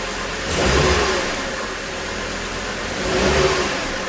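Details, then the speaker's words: 2009 Hummer H3T, 3.7-litre I5, running after a new Gates serpentine belt, tensioner and idler pulley were fitted: the engine blips twice and settles, and the belts stay quiet with no squeal, chirp or bearing whine. "So that's definitely way better."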